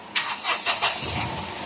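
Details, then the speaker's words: Hyundai H100 CRDI diesel after replacing the busted number one injector: it catches cleanly on the first crank with no throttle and no backfire and settles into an even run. Before the repair it needed throttle and backfired hard. "kanina kailangan pang pasalubungan tapos ang lakas ng backlip ito. Okay na to."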